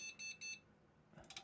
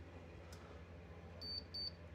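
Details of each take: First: Desktop PC on internal graphics after BIOS reset: as soon as GPU power is connected, three beeps, maybe one long and two short, with no picture; POST beep code for graphics card error. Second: Desktop PC power supply at switch-on with a tester plugged in: a faint hum, then three short high beeps. The supply comes up alive, reading 11.7 V on the 12 V rail, 5.1 V and 3.3 V.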